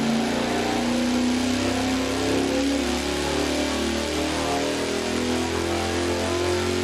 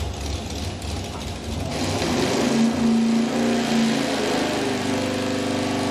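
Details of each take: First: 514 Big Block Ford on the dyno with MSD Blaster coil and new spark plugs: smooth, steady full-throttle climb without breaking up, from 3700 rpm; 648.2 lb-ft torque, 633.2 hp peak. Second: Dyno-tested V8 at high RPM after fitting a hotter external ignition coil: ragged uneven roar instead of a clean scream, a high-RPM misfire unchanged by ignition swaps; suspected cause is the distributor.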